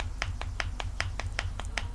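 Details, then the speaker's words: Old worn NV4500 transmission shift tower, removed and rocked by hand: sharp metallic clacks about five a second from side-to-side slop and play. It is shot and is being replaced with a new shift tower kit that has no play. "All right, so here is the old one. There's just a lot of slop and play in this."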